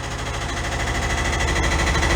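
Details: 1968 VW Double Cab cold start after long storage: fast, light, even ticking over the idle beat. The hydraulic (not mechanically adjusted) lifters have not pumped up; the owner replaced one before and says running it sometimes clears the tick.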